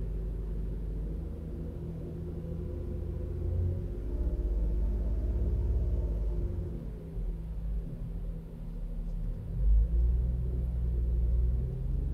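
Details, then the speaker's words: Toyota Avalon after injector cleaning, cylinder 1 misfire when cold: even low idle around 800 rpm, steady hum with no stumbles; normal idle after repair. "So ayan bumaba na. Nagnormal RPM na siya ano nasa 800 RPM. So mukhang okay na 15 RPM."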